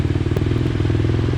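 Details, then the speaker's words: Yamaha Raptor 250 race quad after clutch rebuild (Wiseco basket, Hinson discs, steels and springs, new stock hub, pressure plate, clutch rod; old clutch burned): quick even single-cylinder thumping, steady idle, no slip or clatter. Normal running; starter still suspect. "the quad seems to run perfect the clutch is good now so hopefully he does all right this race"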